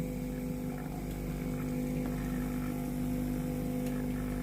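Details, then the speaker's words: Philips PSG7014 steam iron (no steam, powered on normally) after water pump replacement and reassembly: steady buzzing hum with a fixed tone and fast even pulsing as the new pump runs normally. "Conectați cablul de alimentare și porniți mașina. Ar trebui să auziți pompa de apă funcționând și aburul ar trebui să înceapă să iasă din cazan."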